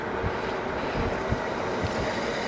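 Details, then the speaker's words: Lectric XP 3.0 e-bike braking downhill: thin, very high squeal over tyre and wind rush from the rear disc brakes; rotors cleaned with brake cleaner and brakes adjusted but still noisy, possibly not yet bedded in. "and that's the back brakes. You can hear how noisy they are."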